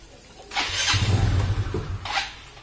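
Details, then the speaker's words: Yamaha Xeon GT125 fuel-injected scooter whose idle surges, sags and nearly dies, with idle speed too low; the unstable idle comes from a clogged idle speed control valve, linked to an uncleaned air filter. "ini kendalanya kematian stasionernya itu tidak tidak stabil seperti ini pemirsa"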